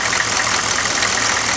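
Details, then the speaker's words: 1995 GMC Suburban 6.5L turbo diesel, just fitted with an HX35 Holset clone turbo, idling right after first start while warming up ~15 minutes for oil circulation: steady even clatter with bright turbo hiss, no knocks or misses; normal diesel idle. "I'm gonna let this run for a good 15 minutes just to bring it up to temp"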